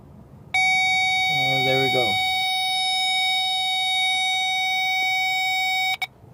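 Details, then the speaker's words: Wire near the catalytic converter tested with a power probe: steady high beep for about five seconds as the probe touches it; shielding melted by converter heat, exposed wire shorting to ground. "If there are exposed wires, we should hear the power probe beeping because of it making contact with ground."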